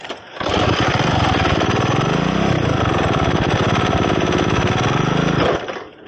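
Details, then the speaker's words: Go-kart just fitted with a 3D Motorsport manual clutch on a pedal: small single revs up and down that never settle to a free idle, still pulling under load. Rider thinks the clutch is very hot and won't disengage; not confirmed. "Dude, now I think the clutch is really hot. It doesn't want to disengage."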